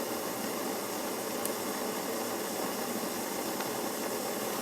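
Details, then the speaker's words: Svea 123 backpacking stove as the priming compound burns away and the flame builds: steady even hissing roar without sputter or popping; pressurized burner running properly. "Now you'll notice as the priming compound starts to burn away, the flame will start to get really going well."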